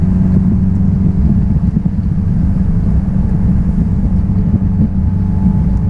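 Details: 1966 Triumph Spitfire, rebuilt 1147cc engine, driving after fuel system stripped and lines flushed: strong, even engine note with steady low rumble pulling cleanly, no misfire or stumble; healthy under acceleration.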